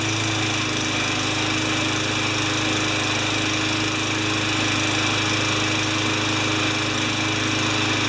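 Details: Craftsman 20-inch side-discharge mower with a new air filter and clean gas, oil change still pending, holds a smooth, even drone with no stumbling or surging; running normally.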